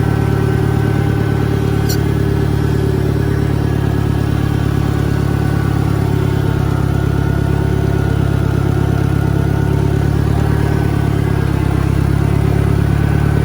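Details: 1963 John Deere 1010 tractor, original and properly maintained, in third gear on a backyard lap; steady low drone with a faint gear hum, no knocks or grinding; normal transmission noise from a well-kept gearbox.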